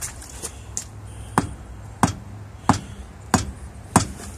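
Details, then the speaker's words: Tire-iron thump test on an older 110 truck's tire during a weekly inspection: six solid, evenly spaced thumps as the iron bounces off; tone judged moderate and good, so the pressure is fine. "That one, it's moderate. It's all right. Yeah, you can hear the different tone there. That one sounds good. I think we're okay there."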